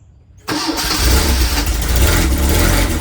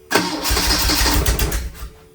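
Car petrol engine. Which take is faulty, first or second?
second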